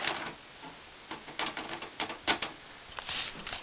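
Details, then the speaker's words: 2005 Symphonic VCR/DVD combo that just ate a blank tape (tape salad): irregular bursts of light plastic ticks and clicks as the deck cycles; the mechanism now refuses to take cassettes, broken. "now they won't even take it it's broken once again"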